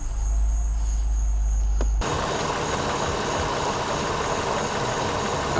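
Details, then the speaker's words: 2009 Toyota Highlander 3.5 L V6 after cooling fan assembly replacement and a temporary fuse block fix, engine running: steady whooshing fan rush over low drone, no cycling or rattle; fans running, A/C compressor on, cold air. "the fans are running it has worked ladies and gents we have cold air we have a compressor running"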